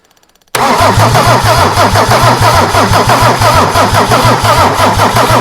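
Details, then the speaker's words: Mercedes OM diesel engine, long dormant and never run by owner, cranking heavily and slowly at about three compressions a second without catching; battery too weak, no start, injection pump elements dormant, bigger battery then used. "we're going to go and need to find a better battery again"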